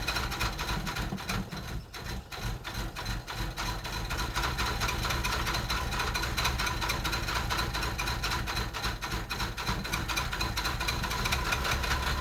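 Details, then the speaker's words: Mercedes 300SE with replaced injectors, suspected fuel distributor or fuel pressure regulator fault, possibly weak battery, cold hard start: uneven, lumpy idle with irregular ticking and chatter; cause undetermined. "well I'm going to let it sit there and warm up a little bit I don't know what that noise is"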